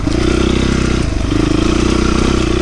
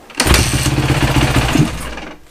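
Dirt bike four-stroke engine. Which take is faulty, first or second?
second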